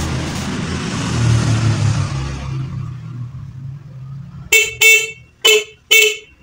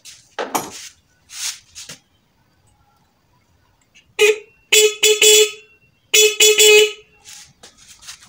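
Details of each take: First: Motorcycle horn tested after the horn itself was found at fault rather than the wiring and was adjusted; four short clear toots with a steady strong tone, horn now working. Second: Motorcycle horn after fixing no-sound fault traced to the horn itself, not wiring, tested on battery: several short bright, thin, sharp-edged blasts cutting off cleanly; horn works but sounds shrill, being turned a little further.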